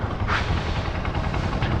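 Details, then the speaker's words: Honda TMX motorcycle after tune-up and a fix for a persistent ticking (lagitik): steady, even low putter at idle with no ticking or tapping; engine sounds healthy. "Diba? Wala na kayo maririnig dyan na ano,"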